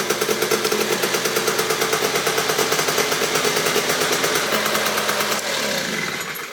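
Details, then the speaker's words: Honda Cub EZ90 scooter, first start after 13 years, following wiring and carburetor repairs: started on the first kick with crisp, rapid two-stroke popping at a steady fast beat, revs settling slightly near the end; healthy running. "we did her another kick over so you guys can hear it but first kick she's ready to rip dude she's ready to"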